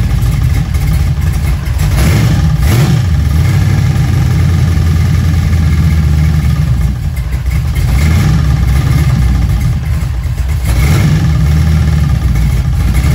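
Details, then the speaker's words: Junkyard LM4 aluminum 5.3 LS V8 on a stand with a Tick Performance Street Heat Stage 2 cam (229/235, 111+2, +10° overlap vs stock -37°). Loud, deep, steady high idle with only a slight lope; runs fine but isn't idling down far. "what I was noticing is I don't think it's idling down very far which is why we really can't hear a lot of lope but it's also really loud so it's pretty hard to tell"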